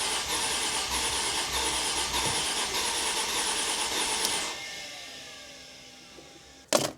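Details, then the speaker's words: 2005 Mercedes SLK350: starter whir with rough twice-a-second pulse about four seconds, winds down without catching, then a clunk; cause unresolved. "oh my gosh yeah this turns so the engine is moving why is this not wanting to start"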